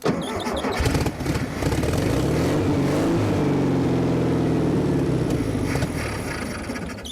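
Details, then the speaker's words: 1974 VW Thing engine, first start since about 1989, fed only by a small amount of fuel; cranks, catches, runs rough briefly then fades and stalls from lack of fuel, needing a gas can hooked up. "yeah there's not enough we have to hook up a gas can to it which unfortunately our gas cans are empty but this thing is a runner"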